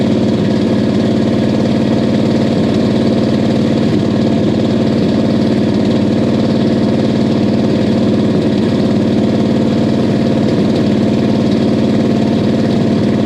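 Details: 1969 Buick Special Deluxe 430 big-block with big cam, first start after sitting over a year (parked fall 2021, New York); warm day, choke backed off after running full choke. Deep steady V8 idle with loping beat, clean and even; normal idle.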